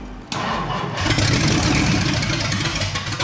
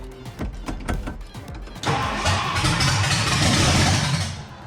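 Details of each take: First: 1962 Mercury V8, after fixing fuel pickup hose at top of tank so pump sucks fuel: cranks, catches and settles into quick, light, even patter like a big sewing machine; running normally, coolant leaking at thermostat housing. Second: 1962 Mercury with shorty headers, first start attempt: about two seconds of slow, even cranking, then a rough roar as it barely catches; ignition timing retarded, about 10 degrees after, hard starting.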